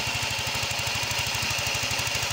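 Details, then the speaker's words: Yamaha Mio 125 (Mio M3) scooter with rough engine noise: a loud, busy running engine with a fast, even rattling tick of about eight a second; a weakened cam chain tensioner is letting the chain slap. "Ee jadi ini yang rusak itu adalah lift Tensioner ya ini ya"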